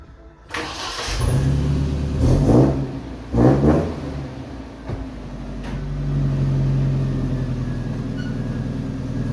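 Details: Pickup after an exhaust leak repair: the engine cranks, catches, takes two quick revs, then settles into a smooth steady idle with no puffing or ticking from the exhaust.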